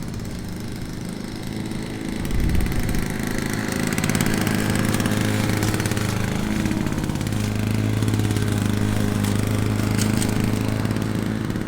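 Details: Classic Victa PowerPlus two-stroke mower (carburetor kit fitted earlier), cold-started first pull after sitting 6 months: a crisp, steady buzz picks up cleanly under load and holds even revs through thicker grass. Healthy running under load.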